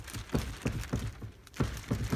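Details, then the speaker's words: Corbeau Evolution seat rocked back and forth: dull thunks about every third of a second from flex and play in the seatback or recliners. Owner is unsure of the cause and worried about it bouncing when raced. "I'm not sure how these are going to do once you actually race with them, if they're moving back and forth like that."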